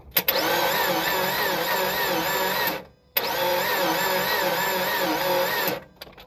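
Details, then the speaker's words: Car with 2.5 engine, 126,000 miles; oil dipstick was dry after it lost power and shut off on the interstate. Fast, light, even cranking without firing, spinning too freely; owner suspects no compression, compression test planned. "so that to me sounds like no compression now doesn't mean there's no compression on any cylinder or one cylinder two cylinders"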